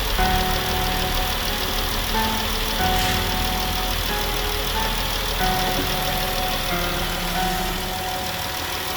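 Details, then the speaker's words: Jeep idling after water pump replacement for a rattling noise, coolant refilled, air intake sensor unplugged: smooth, steady idle hum with no rattle or tick on top; the noise is gone. "as you can see oh this is running I was working on my second gallon of coolant I must have let a lot of it out but as you can also hear that noise is now gone"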